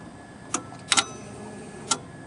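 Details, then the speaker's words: 1992 Ford Ranger 3.0L V6 EEC-IV, automatic, 67,000 miles, ignition on and engine off with an OBD-1 code reader on the test connector: four sharp clicks, one a quick double, as relays and solenoids cycle normally during the self-test. "and you hear the relays and solenoid click that bottom triangle means that it's linked to the computer the blinking Square means that it's retrieving codes"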